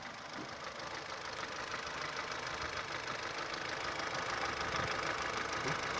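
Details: Ford Fusion with a Duratec 1.4 engine at 118,000 km, held at about 1800 rpm: quick, fairly regular light ticking about three per second over the engine; valves are suspected, not confirmed.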